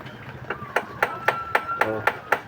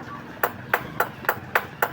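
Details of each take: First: Suzuki DA64W/DA17 AC compressor magnetic clutch plates tapped for comparison: eight crisp, even taps give the solid ring of a good surplus plate with tight rivets; worn plate with loose rivets sounds cracked and causes compressor noise. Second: Suzuki DA64/DA17 aircon compressor magnetic clutch/damper plates tapped: loose rivets on the old plate give a thin tinny vibrating ring versus a solid sound from the good surplus plate; loose rivets cause compressor noise, compressor also has black oil.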